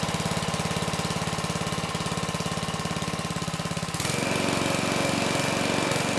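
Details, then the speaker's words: GiantVac push leaf blower, Briggs engine model 126412-0163-E2, after a fuel-leak fire, run on low speed with choke open: small single-cylinder firing evenly, settling smoother; carburetor still faulty but runs well; normal running. "nice okay good no surprises the engine started right up it sounds good and the carb despite its issues actually ran the engine pretty well"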